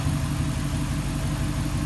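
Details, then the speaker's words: RAM 5.7 V8 (4th gen), warm idle after clutch fan delete with e-fan, new 160 thermostat, serpentine belt and idler pulley: low, smooth, even rumble with no ticking, squeal or belt chirp; really quiet and healthy. "it sounds good yeah really quiet"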